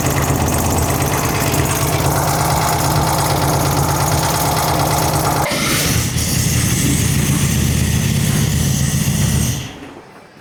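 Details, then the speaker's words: Newly installed 1904cc engine in a 1964 Karmann Ghia race car with twin carbs: a deep, lumpy idle with an uneven beat that shifts midway before shutting off. It runs rich with the carbs unsynchronised. "But you can tell uh I don't know if you can tell in the shop. She's uh she rolls coal good due to the fact that well I mean I'm just saying we're running rich."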